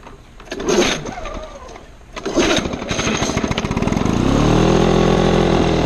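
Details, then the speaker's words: 1975 Lawn-Boy two-stroke mower: sputters and catches unevenly, then climbs to a buzzing speed that won't hold steady; runs very rough, switching RPM frequently, though everything mechanically works. "I have started it before runs kind of rough I'm lying t it runs very rough it switches RPMs quite frequently but everything mechanically works"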